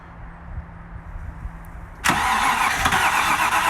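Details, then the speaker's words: Range Rover Classic LSE soft dash V8, revival start at half throttle: slow, quiet cranking pulses for two seconds, then the engine catches at once and holds a loud, steady run. The fuel still needs to come up. "That fired straight away then."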